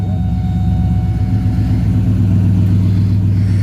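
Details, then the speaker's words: 2007 Cadillac Escalade EXT V8, just started after sitting about 2 years; weird noises at startup, then a deep, even rumble with no knocks or misses; running smoothly. "Almost no surprise to me. It made some weird noises here. It fired right up."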